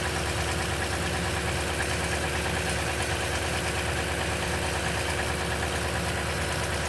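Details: Busy V8 cold-start idle on a 2010 Toyota Tundra with 165k miles and 5,500-mile oil changes all its life: a fast, loose metallic chatter over the engine note, suspected but unconfirmed timing chain rattle.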